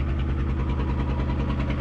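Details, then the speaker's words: 1975 Chevy diesel stepside that sat about 32 years, idling high after first driving under its own power: deep, loud, rapid, raw unmuffled exhaust bark because no muffler is fitted. Missing muffler. "anyway there's no muffler on there so it sounds a little rough but yeah okay it runs and moves under a own power"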